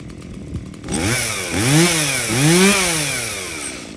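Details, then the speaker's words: Stihl MS170 chainsaw that doesn't run well, fuel checked clean with no water and bar oil full: revs climb and sag in two rough surges, never holding a clean steady pitch. Poorly running, cause not yet confirmed. "something's wrong well there you go this thing runs like a dirty little unmaintained ms170"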